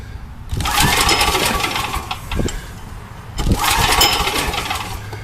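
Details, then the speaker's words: Old Coleman gas generator with a Vanguard engine running on old ethanol gas, with a gummed-up carburetor. Gas is leaking out at the bottom. Engine speed rises and falls in uneven waves every few seconds: surging from a flooding carburetor. "well you can tell her we can flooding going on there that's why it's been surging"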